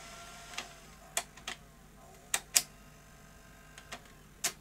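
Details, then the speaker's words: Sony SL-HF100 Beta HiFi video recorder after repair and reassembly of the loading gear mechanism; sparse crisp clicks and soft clatters as the tape threads, no grinding or strain; loading healthy. "and eject excellent well Everyone likes a nice beta Hi-Fi video recorder so I'm glad that's been brought back to life"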